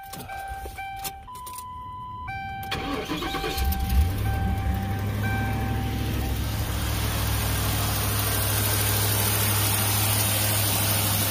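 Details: 2009 Ford Crown Victoria, pawnshop restoration, belt refitted after earlier squeaking: engine cranks, catches and settles into a steady, even idle with no chirp or squeal from the front; belt running quiet.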